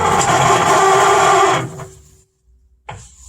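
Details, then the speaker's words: Heater blower fan in a 1962 Mercury Comet, working at both speeds: loud, rough rush of air on high speed that sounds bad, then it spins down to quiet; noisy fan, cause unknown. "i know if you can hear that one that's low speed and high speed sounds like crap but it works high speed"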